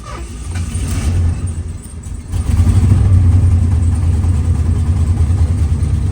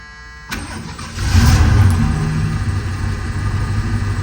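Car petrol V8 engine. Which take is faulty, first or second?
first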